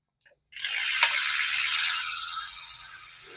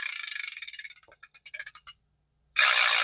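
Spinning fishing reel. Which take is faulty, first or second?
first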